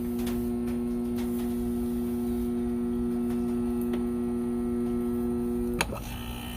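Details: Arctic King window air conditioner found at the roadside, bearings later said to be shot: loud, steady low-pitched electrical buzz from the compressor before the unit kicks on; compressor buzzing, cause not confirmed.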